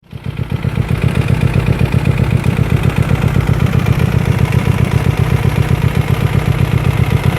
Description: Knocking sound in hyosung gt 250r..this sound appears when you ride ur bike with no engineoil...